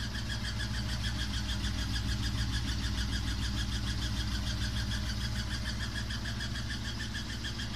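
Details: Samsung WW5300 (WW95T534CAE) washing machine, outlet unit on its second use: constant loud droning rumble with a beat about three times a second and a thin whine, abnormally loud from the beginning, cause unknown.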